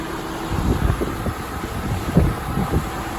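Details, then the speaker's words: 1993 Mercedes-Benz 300E 2.8, 28 years old, idling with AC on and auxiliary fans running; steady low rumble under fan whoosh, smooth with no misses after new ignition coils and spark plug wiring; normal smooth idle. "Nice and smooth."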